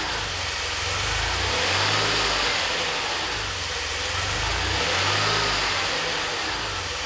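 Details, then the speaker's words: DeLorean with manual transmission, after CO adjustment, idle control valve replaced: idle slowly rises and falls every few seconds in a lazy lope, about 1,000–1,200 rpm warm, up to 1,500 when fully warm; hunting idle, cause not yet found. "And well, now it's back on the lift because what happens is when it warms up, it idles around like 1,000 or 1,200. And of course you can hear that loping it did before."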